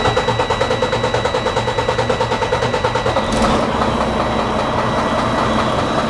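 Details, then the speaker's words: DD15 diesel engine idling with no check engine light on; sharp, regular tat-tat tapping about three times a second, like something hitting inside a cylinder or connecting rod: knock from a broken cylinder liner. "I don't know if you can hear that tapping noise that this engine is producing. It's a very unusual sound. It is like something inside a cylinder or a connecting rod is hitting each other."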